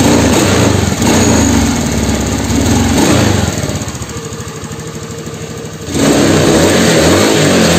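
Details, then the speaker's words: Honda Beat FI (injection) scooter revved to full throttle: note sags and flattens instead of climbing, no top-end power though low and mid RPM pull fine; slide fully open, spark plug normal, injector already cleaned, idle slightly stumbling on arrival. "coba kita Nyalakan mesinnya sampeyan dengarkan ya atasnya itu enggak ada tenaga nih guys"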